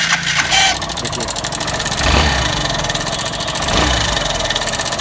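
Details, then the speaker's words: BS6 motorcycle engine idling with a fast, dense metallic rattle from a loose timing chain; the noise stops instantly when the throttle is opened and returns when it is released. "हम जब भी इसका Slater ले रहे हैं तो इसका sound तुरंत खत्म हो जा रहा है और जस्ट इसका स्लेटर छोड़ तो साउंड आने"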